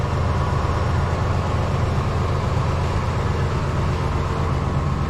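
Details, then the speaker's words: 1996 Chevy dually pickup, first start after fuel pump work with the bed off: cranks and fires into a steady low rumble with an even beat, no knocks or misses, and no fuel leaks seen. Normal idle. "Cranking. Hey! All right! Sounds good."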